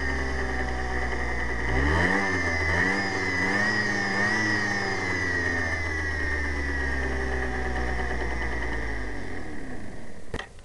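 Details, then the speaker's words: Yamaha Zuma scooter after new drive belt fitted: engine revving and settling with a steady high whir following revs from the rear belt drive; whirring noise, cause unclear. "I don't know if you can hear this or not, but this is after I put the new drive belt on. It's making kind of an odd noise."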